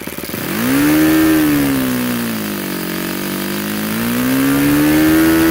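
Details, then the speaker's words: Supercharged YS FZ 63S glow engine after a rebuild with a new throttle barrel seal, running an APC 12x8 prop and 15% fuel. A clean, high-pitched buzz climbs and dips smoothly with throttle, reaching about 10,000 rpm at the top. It runs sweet with no stumbling or sag. "there you go ys FZ 63s she's running sweet and you do want to tune these so they're about 500 RPM beer below peak and run them there"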